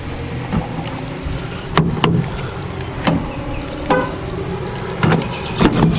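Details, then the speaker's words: 2016 GMC Sierra tailgate power lock: sharp clunks in ones and pairs when lock or unlock is pressed, but the tailgate lock does not change state. The failing actuator was then replaced with a new OEM part. "so tailgates unlost I'm going to hit the lock you'll hear it but it's still not locked with the key"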